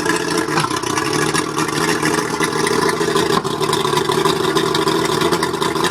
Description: A mercury 135 outboard running rough. Maybe it's the plugs.